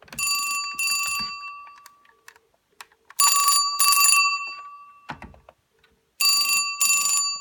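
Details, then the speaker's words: 1974 Western Electric Bell System rotary Trimline desk telephone, ringer on loud setting: shrill metallic bell in pairs of short bursts about every three seconds, clean and even; normal ringer. "it's quite shrill really for a bell ringer it's quite loud so it's on it's loud assertive"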